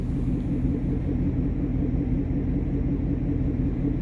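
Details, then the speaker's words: 2019 Ford Mustang GT V8 idling, window cracked: smooth deep exhaust rumble with no chirp or squeak; faint ticking is distant construction; normal idle, intermittent front chirp absent. "so you can hear that's what it's supposed to sound like I don't know if you hear that ticking in the background that's not what I'm talking about"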